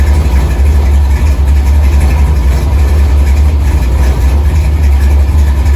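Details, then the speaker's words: 1964 Chevy II Gasser, LS V8 swap with Holley Terminator X; deep loping choppy idle, about four pulses a second, set at 950 rpm (owner wants 800), steady and strong; normal idle. "It's actually idling, so I'm just gonna leave it alone. I set it at 950. I'd like to hear it about 800."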